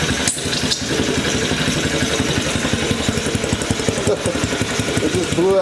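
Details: Yamaha Badger YFM80 ATV engine after rebuild with new valves, piston, rings, cylinder and timing chain sputters and pops unevenly, about two beats a second, never settling; rough running with water coming out.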